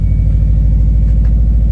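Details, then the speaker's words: Subaru Forester XT turbo engine with a blown turbo leaving residual smoke, running through a pass-through muffler exhaust: deep, steady idle rumble with even firing pulses, no misses or rattles, quieter than expected; sounds healthy. "She's a good sounding unit though. Yeah. I like it. No, it actually is a lot quieter than I expected it to be."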